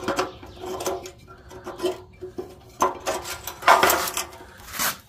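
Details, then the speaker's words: Rusty, previously welded fuel tank from a 1978 Honda CB750F Super Sport, with a badly rusted petcock, rolled around empty: loose gritty rattling and scraping of rust flakes and crusty debris sliding inside; the tank is considered junk. "It's crusty junk, guys. When you roll it around, you can hear it. There's so much rust and junk inside that tank."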